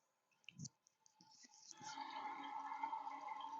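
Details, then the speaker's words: Mansfield flush valve (fits 210/211) toilet after flushing: tank fills like normal, then a steady hissing water flow keeps running and never shuts off because the red rubber seal has come off and isn't sealing; fix is a new gasket. "every time i flush let me show you what happens fills up like normal still waiting so i don't know if you can hear this"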